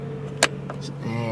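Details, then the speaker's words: 2005 Kia Spectra EX sedan, 146,913 miles, power mirror adjusting: a click then short, steady electric whir with faint high buzz from the mirror motor; normal power mirror operation. "one more thing before I forget power mirrors"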